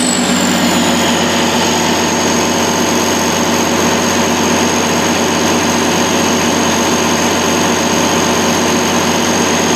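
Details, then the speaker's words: 2002 Kohler 100 kW (125 kVA) standby diesel generator, 320 hours, 480 V three-phase, no muffler fitted: loud constant engine roar with steady high whine, no misses or knocks; normal running. "we're going to start it up right quick so you can hear it run okay let's give her a whirl"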